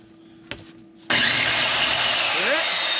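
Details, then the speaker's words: Power saw with shot bearings starting up: harsh, hissing, gritty roar instead of a clean motor whine. "it? Bearings are shot."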